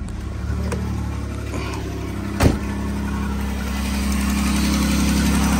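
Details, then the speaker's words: 2009 Dodge Grand Caravan with new ignition block, wires, plugs and battery, at cold idle: light ticking over the engine note. Exhaust manifold leak from a missing bolt, loud at start and fading once warmed up. "so you can hear that noise it's just really loud at the start but once you get going the noise does go away"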